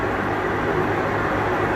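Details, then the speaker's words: Maytag Bravos HE top-load washer, loaded with clothes and with the lid lock removed, on its fastest spin. A smooth, even rushing roar with no knocking, banging or scraping: normal high-speed spin. "all right we're back on its fastest spin very fast and typically like I said you wouldn't be able to lift this up it'd be locked but this is just for testing purposes so you can see that it is spinning nice and fast"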